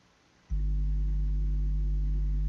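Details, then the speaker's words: Soundigital 12000.1 EVOX 1-ohm car amplifier on the bench, powered with RCA input connected: steady low droning tone with no music output; suspected preamp or RCA socket fault, broken RCA connector found. "Ah, je sais pas si vous entendez, mais il y a un son comme ça et il n'y a aucune musique qui sort. Bon, alors il y a un problème au niveau du préampli ou de la prise RCA, je sais pas trop, mais apparemment il y a un problème en tout cas."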